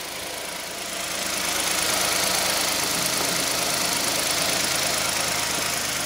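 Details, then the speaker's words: 2015 Hyundai i10 1.0 petrol after timing chain replacement for suspected stretched chain: even idle, only a faint soft shushing hiss left from the timing chain area, much reduced from before. "you can tell where the shushing noise was it's still there but not like it was you can hear a that's the shushing noise"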